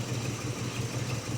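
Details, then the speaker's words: 1969 Jeepster Commando with Dauntless engine, idling after fuel treatment and carburetor spray cleaner. Uneven, lumpy, loping idle with visible shaking, better than before but still rough. Compression is 100 on two cylinders and about 130 on the rest, with carbon-covered cylinders. Owner suspects it just needs driving. "It's still running, you can hear it and probably even see it shaking."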